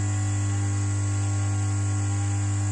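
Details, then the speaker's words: Jumbo 70/50 P-50 water pump station, brought in humming without turning, after disassembly and replacing the burnt seal parts: motor test-run on mains gives a steady even hum, spins freely, no burning smell; motor fine. "сейчас попробуем в розеточку одну попробуем работать Лигу все двигатель работает"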